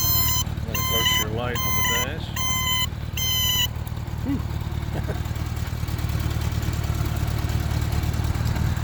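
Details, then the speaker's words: 1977 Honda GL1000 Goldwing, about 13,000 miles, idling: turn signal beeper gives four high wavering, buzzy beeps, sounding sick from years of disuse; expected to clear with use. "of course the beeper hasn't been used much over the years so it kind of has a sick sound to it"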